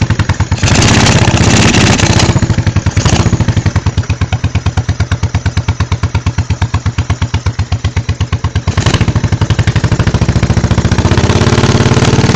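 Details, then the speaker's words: 1986 Honda Shadow 1100 V-twin, very high mileage: lumpy, uneven exhaust beat stumbling every few pulses when revved; the rear cylinder misfires, with puffing back through its carburetor. Cause unknown. "the rear cylinder misfires in a weird way I'm I don't know what's wrong with it"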